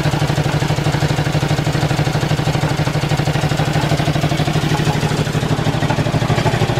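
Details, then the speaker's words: Ford flathead V8 on an old farm irrigation pump, just started after sitting: steady idle with an even, hard clank about three times a second over the low rumble; good oil pressure, something loose clanging in the pump; stuck open valves also suspected. "got good oil pressure too but something's clanging in this pump that's loose"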